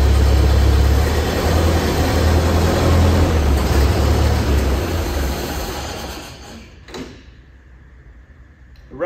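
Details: 1928 Ford Model A four-cylinder, sat for a very long time: low steady chug runs evenly about six seconds then dies away; the old engine runs and sounds normal.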